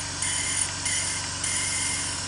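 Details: BMW E46 engine idling after replacing alternator bearings: even idle with soft hiss, no whine, hum or bearing growl; engine calmer than before, normal.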